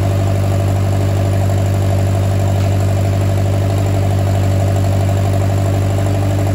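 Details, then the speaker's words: Oliver 550 tractor with rebuilt ignition and starter, fired on the key, choked, for the first time in reportedly 30+ years (owner doubts it), no water pump belt so run briefly: steady, even low rumble with a smooth firing beat and no knocks or misses; idles cleanly. "so wow it runs like a top so pretty amazing"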